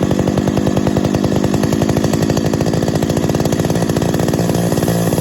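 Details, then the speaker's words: 50-year-old Stihl 031 AV Super chainsaw after full rebuild, first start and carb tuning: steady high-revving two-stroke buzz with faint tinny tinging rattle, believed loose baffle inside muffler. "ah could you hear that the muffler you can hear that rattle that tinging sound that's the baffle i believe inside the muffler"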